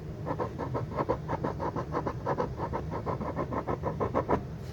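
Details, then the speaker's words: Refoamed speaker woofer, cone pressed lightly in the middle with three fingers: quick scratchy rasps about three a second from the voice coil rubbing because it is not centered. "that is the voice coil rubbing because it's not centered"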